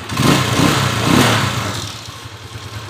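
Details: TMX155 single-cylinder after timing gear repair; a ticking heard after rebuild led to replacing the cam follower and push rod. Revs blipped and settle to a smooth, even beat with no top-end ticking; normal running after repair.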